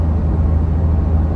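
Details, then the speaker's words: Truck, G56 gearbox with Valair HD organic single-disk clutch, cruising in sixth gear at 1600 rpm, 58 mph: low smooth drone, no whine, rattle or chatter, no added noise versus stock; normal drivetrain. "as I accelerate here really I don't hear any added noise compared to the stock setup when cruising around like this currently 1,600 RPMs 58 mph"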